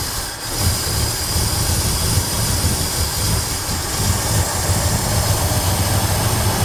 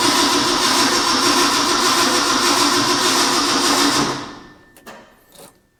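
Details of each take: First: Ford F100 truck, bought without being started, restarted after sitting in case it had flooded: it catches quickly and idles with a steady, even low rumble, no misses or knocks. Idle setting still to be checked; no coolant yet. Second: Ford F100, first start attempt after purchase, starting fluid used, negative battery terminal very hot: steady rapid cranking about 3.5 turns per second, never catches; owner suspects fuel delivery/accelerator pump; cranks but no start.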